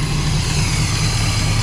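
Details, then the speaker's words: 1977 Pontiac Trans Am V8 after carburetor rebuild, vacuum leaks plugged, electric choke and accelerator pump now working; deep, smooth steady rumble without stumbling or popping, better throttle response, running normally. "yeah I've got a few vacuum leaks plugged up that's electric choke working I guess it works yeah that's a lot better it's got better throttle response the accelerator pump is actually working now"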